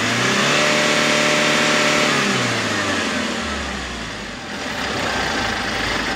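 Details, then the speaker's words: Kia K2500 that had white smoke at hard start, after repair: engine revs smoothly and drops back to even idle with no stumble or misfire, no more smoke or lag; healthy revving. "Ayan guys ah naandar na tayo no So okay na yung andar Wala na palyado"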